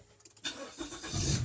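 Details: Car starting after battery replacement in no-start battery checks: short, brisk crank and the engine catches within about a second, building to a steady idle; strong, healthy start.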